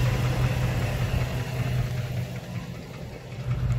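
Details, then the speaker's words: 2005 Dodge Ram 1500, 5.7 Hemi V8 at idle: low, uneven thump under the rumble. Owner suspects a bad bottom-end bearing; others suggested the flexplate. Unconfirmed. "Sounds like the bearing. Sounds like the bearing. The bottom end. Yeah, man, I think it's the bearing. I definitely think the bearing's bad on this."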